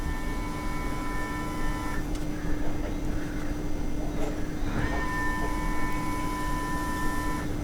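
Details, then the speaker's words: Porsche Cayenne 958 3.0 TDI diesel, just after a fuel filter change, fuel pump run through the DME actuation test: steady electric pump hum with whirring that drops out amid gurgling and sloshing, likely air bleeding out. "I can hear it. I can hear some sloshing as well. Let's do it a couple of times. Definitely some funny noises. I think it's bleeding all the air out."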